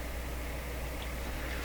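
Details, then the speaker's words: Grundig Satellit 800 radio with faulty volume control potentiometer: constant low hum and faint even hiss with no program audio, not cured by a better ground; suspected soldering problems, heat on pin one makes it go away. "does the hiss go away not by my reckoning it doesn't"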